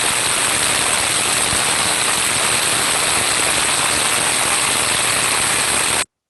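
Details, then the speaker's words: Ultrasound probe on a severely damaged rolling bearing: loud, rough continuous hiss with harsh crackling, stronger in amplitude (decibel value) than early-stage damage, with changed tonal quality; severe bearing damage. "and then when we get to a more severely damaged bearing it might sound even stronger in amplitude decibel value and the tonal quality can also change here"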